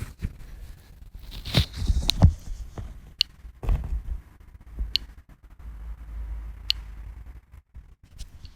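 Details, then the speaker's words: AKAI MPC 60 drum machine floppy drive writing an AKAI disk image via Greaseweazle, mic brought close: sharp isolated ticks every second or two over quiet low rumble; head stepping normally, slow write. "Yeah, there it goes. Not sure if you can hear, but it's ticking away."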